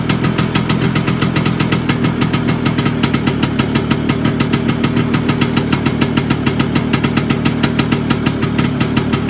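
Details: Vespa PX 125 with 177 kit, restored engine (new bearings, seals, piston, rings, lapped cylinder), 2.5% premix, first start after a year: small single ticks over evenly, crisp regular firing, no stumbles or metallic knocking; owner says idle needs adjusting; normal idle.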